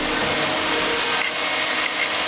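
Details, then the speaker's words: 1946 Willys Jeep with newly installed 12-volt Flex-A-Lite electric radiator fan (over 1,000 CFM per box), wired to ignition coil with 20 amp breaker: steady, even airy rush with no ticks, rubbing or wobble; fan running normally. "Hums right along. I think it moves over 1,000 CFM. That's what the box said."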